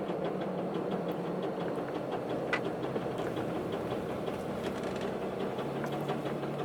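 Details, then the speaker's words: Cummins diesel megacab dually: steady idle with a light, random, uneven tapping on top. Owner suspects something loose, possibly in the head or a wrist pin, and is considering a head job; the cause is not confirmed. "I cannot drive a truck sign like this man it's this makes it sound like a clunker it really [Music] does man that sounds so"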